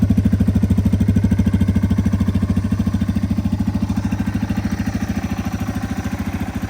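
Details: 2001 Yamaha TTR 225 dirt bike, electric start only with a new battery, started after sitting four years: a steady, even single-cylinder thump at idle, about three pulses a second, with no misses or knocks.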